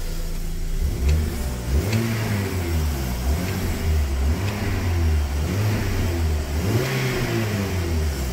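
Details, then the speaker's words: 2-year-stood MINI Cooper after head gasket replacement (head pressure-tested and skimmed, new gaskets, thermostat, housing and bolts; timing chain reused): revs cleanly through several blips and settles smoothly, no knocks or misses, a decent healthy engine. "it sounds good anyway I think a decent enough engines"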